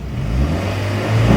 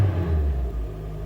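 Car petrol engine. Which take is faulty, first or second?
first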